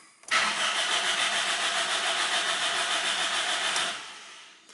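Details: Car that would not start, cranked again after adding about five liters of diesel; even, brisk cranking for about four seconds with no firing or pickup; cranks but won't start.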